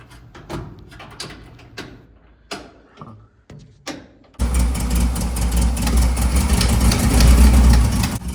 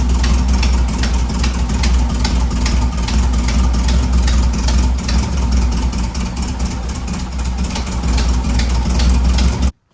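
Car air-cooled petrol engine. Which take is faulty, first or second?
first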